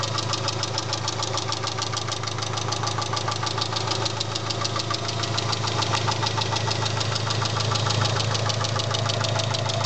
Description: My engine is making a ticking and knocking noise not sure what it is